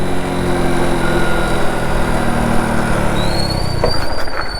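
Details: Motorcycle at 40 km/h in third gear downshifted with the clutch only partly pulled: steady engine drone, then a sudden jolt with rattly transients and a pitch jump as the gearbox clunks from the improper downshift.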